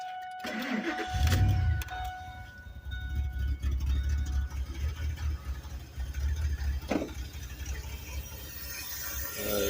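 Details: First-gen truck just washed with a hose: it ran fine about twenty seconds, then surged with blue and black smoke and shut off; revs rise and sag irregularly. Owner suspects water in injectors, plugs or valves, possibly head gasket; unconfirmed.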